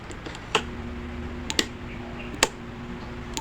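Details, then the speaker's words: Hanabishi 20-inch circulator fan, smelling burnt, switched on: low steady electrical hum with no blade whoosh, handling clicks; on opening, coils found burnt-coloured: stalled motor, burnt winding. "Saksak natin. Umuugong lang. Kung maririnig, umuugong lang siya, i-off muna natin yung switch."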